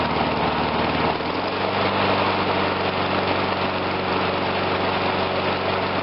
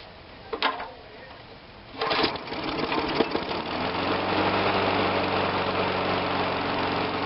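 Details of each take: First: Murray 22-inch push mower, Briggs engine, after carb rebuild: idles evenly, then dips and stumbles about a second in as the primer bulb is pushed while running, confirming the primer works. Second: Murray 22-inch push mower with a Briggs engine after a carb rebuild and ignition coil testing: pull-start, then it catches into a steady, even idle with a light buzzy note, no stumbling, and is revved. Normal idle and rev.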